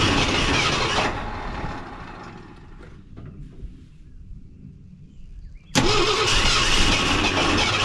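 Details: Wrecked 1974 Ford F100 parked for years, first start attempt: loud ragged cranking that dies off and catches roughly again, lumpy at about three pulses a second; three plug wires were in the wrong firing order, later corrected.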